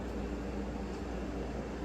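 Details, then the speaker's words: 1994 Hunter Comfort Breeze ceiling fan on a down rod, roughly 8.5 ft ceiling: soft steady whoosh of air with low even hum, no ticking or rubbing; pushes good air with only the slightest wobble. "But, it's pushing a really good amount of air. Little to no wobble, only the slightest wobble, which is to be expected."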